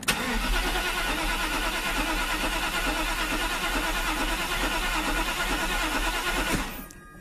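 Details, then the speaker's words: Mercedes with a rebuilt mechanical fuel distributor, tested in the car: steady rapid cranking for about six seconds without catching; not getting enough fuel or constant fuel pressure, fuel pump not yet fitted. "going to do is I'm going to squeeze my wrench in here cuz it's not getting enough fuel right now it's not going to fall in but hopefully I'll get it to start for a second"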